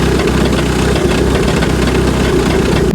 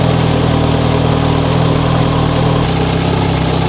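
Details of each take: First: MK5 VW GTI Fahrenheit Edition with 220k miles has a loud, rough idle with a coarse rattle in the low rumble until shutdown. The noise comes from the flywheel, and the oil filter housing was also leaking oil. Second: MK5 VW GTI Fahrenheit Edition with 220k miles: first start after replacing the leaking oil filter housing and topping up oil. It settles to a steady idle and revs cleanly up and down with no knocking or rattling. Healthy.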